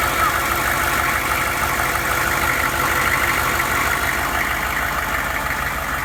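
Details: 2001 Hummer H1 diesel after a fuel filter replacement, with fuel primed by cycling the glow plugs and lift pump: an even, steady idle clatter after start-up with no misses or surging, running properly.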